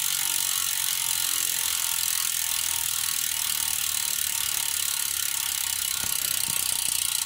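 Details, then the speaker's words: Stan's Neos rear hub on Stan's Grail wheels while coasting: a fast, high, continuous buzzing ratchet, loud like angry bees but even with no grinding, audible from 20-40 yards, unlike the quiet Shimano Ultegra 6800 hub. Normal loud freewheel ratchet. "as you can tell the Neos hub is the loud swarm of angry bees type and the El Tigre is much much quieter"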